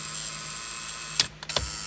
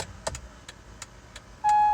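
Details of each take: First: Acura MDX turn signals: a constant high thin buzz from the fuse panel area, a relay vibrating instead of disengaging, broken by a couple of handling clicks; the turn signal relay is faulty. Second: Acura MDX after the faulty buzzing turn signal relay was replaced: crisp, even ticking about three per second, then a chime; the turn signals now work normally.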